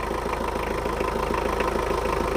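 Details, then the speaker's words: Mitsubishi 4D56 turbo diesel after overhaul for compression failure; steady, even diesel clatter at idle with no knocks or misses, not yet fully bedded in so expected to get smoother; normal idle. "dan ini Alhamdulillah suaranya udah normal ini suaranya masih belum mapan mapan semua jadi kalau udah mapan semua suaranya lebih halus lagi"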